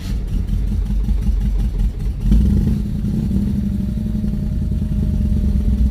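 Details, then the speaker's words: V8 on a cold start, idling with a deep steady rumble and no whistle; EFI still learning its idle, idle settling slightly. "see, I don't hear the whistling like I did on the other one. And this car still needs to go through its learning process."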